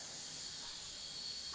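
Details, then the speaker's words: 1983 Kenworth K100 cabover truck, first drive in years, air system not building pressure; a constant thin high hiss without rhythm from a leaking fitting, compressed air leak, one small leak remaining. "the only thing i hear leaking now is this fitting nope this fitting all right so i don't hear any leaks now"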